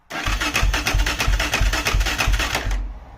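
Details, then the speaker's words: LTZ400 quad revival, fuel at carb, spark and compression confirmed, ignition wire jumped: steady chugging crank about three beats a second with a brief catch, then it dies; cranks but won't stay running. "it almost ran for a second let me give a little choke"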